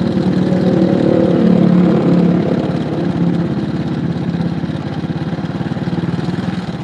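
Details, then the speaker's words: Honda Supra motorcycle left about three years without service, with a loose uneven clatter rising to a kletek on throttle and a rotating sound off throttle; judged a bad cam chain or hardened tensioner roller. "Nah, saya katakan ini rantai keteng yang bermasalah banget apa roller. Rollernya itu mengeras sehingga suaranya jadi kayak gini."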